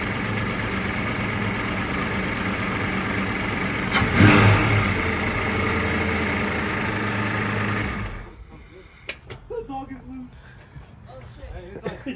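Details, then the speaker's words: Foxbody Mustang project car starting after water was added and a fuel problem was fixed. It catches and settles into an even, steady idle with one clean rev blip, no knocks or misses: running well. "loose starts up now it sounds good we added water and finally fixed the fuel problem"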